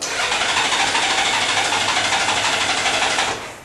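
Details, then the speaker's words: 1997 Honda Goldwing sat about a month on month-old fuel, tried with no choke after choke; starter churns about three beats a second, never fires, then sags as battery weakens; crank no-start, old fuel suspected, unconfirmed. "You can hear it doesn't want to start. You got no choke on now."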